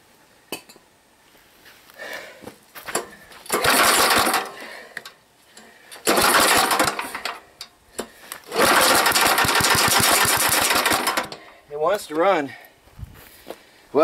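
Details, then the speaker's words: Old 3,000 W gas generator, long unused, run on gas funneled into too-short old fuel line: catches and runs a couple seconds then dies each attempt, seemingly fuel-starved; owner needs a new fuel line but expects a working engine. "I tried to funnel some into the that tiny little gas line just isn't working but I think we're gonna have a working engine"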